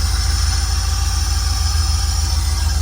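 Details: Holden VN Berlina 5.0L V8, just bought and freshly started after fuel was added. Deep, even V8 rumble with a steady idle pulse, no misses, knocks or stumbles: engine running normally.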